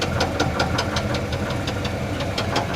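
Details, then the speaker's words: 1973 Chevrolet C10 Custom 10, 350 V8, 4-speed manual, 30 psi oil pressure: sharp even tapping about five times a second over rough idle, sometimes calming or vanishing; engine knock, seller says bad rod bearing, not confirmed. "A little bit. does a little bit of a rattle. Yeah, I'm not sure what that is yet. He said it's a bad rod bearing."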